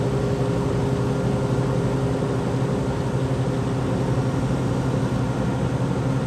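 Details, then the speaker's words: Vintage Westinghouse 10,000 BTU R22 window A/C, estimated around 1975, on high cool, microphone at the back near the compressor: even low mains hum and smooth steady drone, no knocks or rattles; normal compressor running. "it gets pretty quiet once it's uh running here"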